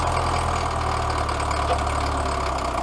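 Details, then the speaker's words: Caterpillar 922B loader diesel, dead over a year, started without ether: steady, even idle with a smooth low rumble and no knocks or misses; engine sounds healthy. "yeah baby she is running under her own power where try and get this bucket dumped out very quickly beautiful engine sounds good too"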